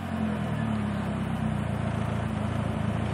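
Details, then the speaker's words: Mazda MX-3 1.6L intermittent rough idle: stumbling, pulsing sputter/misfire between idle and 1500 RPM, smooth at higher revs; worse with AC on, sometimes stalls, no check engine light. "Higher RPMs is fine, it's just lower. See? Up there it's totally fine, but"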